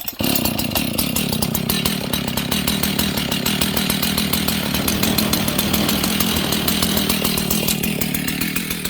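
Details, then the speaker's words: Husqvarna 61 chainsaw idling too fast with the chain brake applied: a steady, labored, loaded-down idle. The brake grabs the clutch and the clutch rubs on the clutch drum. "The chain brake's grabbing the clutch. The clutch is actually rubbing on the clutch drum. Okay?"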